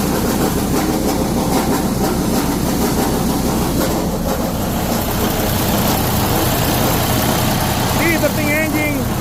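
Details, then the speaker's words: Freightliner Cascadia diesel idling: loud idle with a loose, uneven metallic rattle from a broken internal plate in the SCR one-box emissions unit. "This is a broken SC box and this is the way sounds like."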